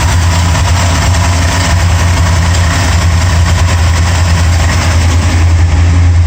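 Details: Corvette engine idling; steady low idle with faint uneven light tick riding on top, source unknown; engine ticking.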